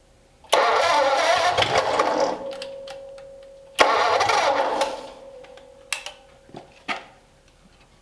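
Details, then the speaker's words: Ford flathead engine bought at a swap meet, run on a stand with old heavy oil and a partially dead battery on a jump pack: two short cranking bursts with the starter whirring, never catches; no fuel in the carburetor yet, brake clean to be tried next. "Nothing Nothing yet. in the carb yet. Yeah. Yeah, we'll try doing the brake clean."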